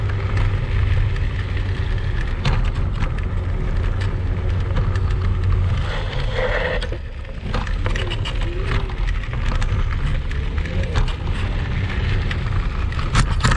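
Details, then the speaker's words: Kugoo Max Speed Pro electric scooter ridden off-road on rough sandy ground after falls: constant loose clattering, knocking and squeaking, rattles jumping with every bump; loose chassis parts to be fixed. "по итогу что мы имеем я думаю вы увидели что шумов достаточное количество там практически наверное весь видеоролик слышно как все громыхает дребезжит"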